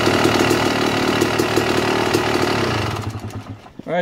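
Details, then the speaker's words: 2009 Yamaha YZ250 two-stroke, pilot air screw turned out an extra turn and a half: fast raspy idle well above normal before dying away; lean, sucking too much air through carburetor. "hear the difference when the bike was idling a little higher than normal all i did was adjust the air screw i turned it out another full turn and a half and the idle was picking up which means it's sucking more air through the carburetor which is not good"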